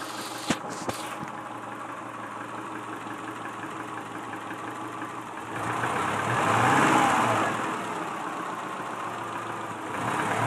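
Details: 1999 Subaru-type 2.5L EJ25 flat-four at 180K miles idling then blipped, hollow knocking rattle under each rev: piston slap evident; engine being pulled for rebuild.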